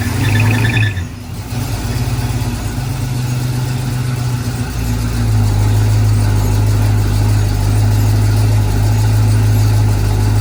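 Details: 1968 Chevy K10 pickup with a swapped-in 327 V8, first start-up on a low battery with the transfer case possibly in neutral: a rough catch, then an even, steady V8 idle with a regular beat and no knocks or ticks.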